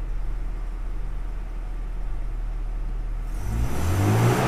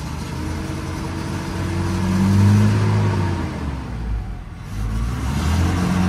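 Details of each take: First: Toyota Innova at low idle, then revving cleanly and smoothly to 6000 rpm after its air flow sensor was replaced with a used part. Before the repair it stuck around 3000 rpm and stumbled and popped under throttle. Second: Toyota Innova: idle stuck around 1000 rpm, engine stutters and bogs when throttle opens, won't rev cleanly and falls back; mass airflow sensor is the main suspect.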